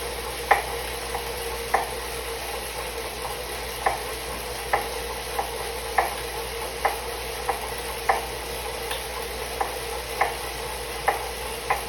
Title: Suito-T Elite knocking noise